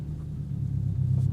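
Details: 2022 Subaru WRX driven with no sway bar end links fitted: only a steady low road rumble through a slow full-lock U-turn, no clunks or knocks; the front suspension is quiet.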